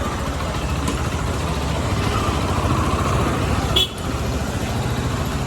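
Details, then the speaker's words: Bajaj Pulsar NS160 after full engine rebuild, restarted once a fuel shortage was fixed, left idling so oil reaches every new part: steady single-cylinder putter, smooth even beat, no rattle or knock; normal idle. "तो भाई, mechanic ने इसे चालू ही छोड़ दिया है ताकि ईंधन की आपूर्ति पूरे इंजन तक पहुंच सके।"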